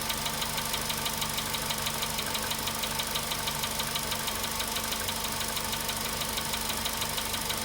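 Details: VW Polo Sedan at 93,000 km, cold-start idle: sharp, even ticking about three times a second over a steady idle; a clear engine knock whose cause is not yet pinned down.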